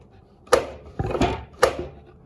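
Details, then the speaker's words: New DeWalt DWS780 sliding miter saw cutting a 2x8: sharp woody clunks, about three in two seconds, as the slide binds; misaligned factory plastic dust tube pushes its rivets into the frame, and reshaping the tube seems to cure it. "the sliding feature the saw is actually catching on my adjustment there and it's binding up the saw. You can hear it."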